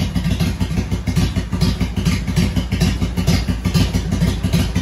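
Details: Motorcycle jump-started from a Milwaukee impact gun battery after earlier kill-switch trouble: a steady, low, even pulsing thump at a couple of beats per second once started. Normal running.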